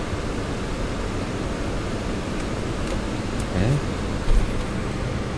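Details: Dodge Challenger SRT Hellcat during first power-up after wiring work, ignition on: steady low airy rush of the blower with no squeal, rattle or ticking, just a couple of brief clicks; blower runs normally.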